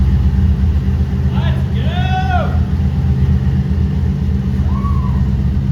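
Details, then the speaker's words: 2008 Toyota Prius with a swapped-in 5.3L LS V8 at first start-up after injector fixes: smooth, even idle with a steady low rumble and no ticks, misses or surges; 50 psi oil pressure, charging at 14 V. Normal idle. "go we got 50 lbs of oil pressure so I'm happy with that yeah it is so smooth"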